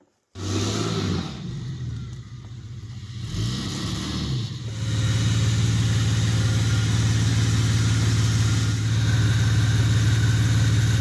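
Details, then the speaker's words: VW Amarok after cracked cylinder head replacement, parked a month: injectors unplugged, engine cranked to build oil pressure; steady starter whirr with even compression pulse about four a second, no firing. "unplug all these injectors I guess I wind it over for a while hopefully the [ __ ] battery hasn't gone flat while it's been parked for the last month wind it over for a while until the oil light goes out"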